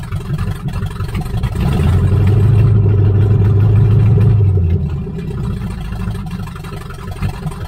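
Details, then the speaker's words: 1978 Nova V8, abandoned 25 years, open pipes, carburetor from an El Camino, after refitting a loose lifter and replacing busted pushrods: swells then sags to a low, lumpy idle near stalling; owner suspects idle set too low or distributor needing adjustment. "It seems like it's definitely running better than it did, but it's said it just stalled. Like I said, this carburetor was on the El Camino and run perfect, idle perfect. But this is, it's not running very good. Sounds like the idle's too low right there."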